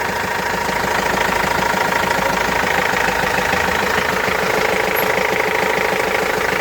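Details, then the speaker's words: Renault Master 2 diesel with 306,000 km, which arrived with a frightening engine noise, smoke and a bad smell. Steady, even idle with a fine regular clatter around two hundred beats a minute and no knocks or squeals; runs smoothly. "Bekir lokumu gibi çalışıyor ha sahile"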